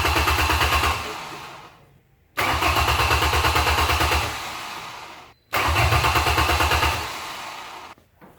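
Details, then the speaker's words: Junk Ford truck of unknown history, first start attempt: three short cranking bursts that fire for a second but never keep running. The fuel pump is not heard running; the fuel shutoff is checked first. "so what's happening is no fuel pump I don't hear it running it started fired right up just for a second but the fuel pump is not continuing to run"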